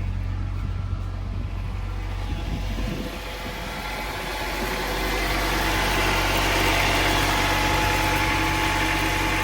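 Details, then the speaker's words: 25-year-old wrecked Honda, previously non-running, first start after reconnecting battery: steady, even idle with low rumble rising slightly then smooth; runs fine despite pending wheel bearing, timing belt and leaking water pump. "Oh, yeah, she's alive. Nice. It's a mess, but it works."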